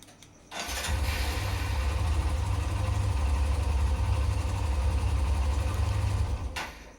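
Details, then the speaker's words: Hero Xtreme 125R motorcycle started and settling into a low, even idle thrum; owner asks whether this engine sound is original or louder than normal, an extra engine noise with no clear cause. "आप बताओ कि भाई यह sound engine से आ रहा है कि original sound है कि जो रियल जब हम लोग एसटी लेके आते हो उसके कंपैरिजन में ज्यादा साउंड आ रहा है कि कम साउंड आ रहा है"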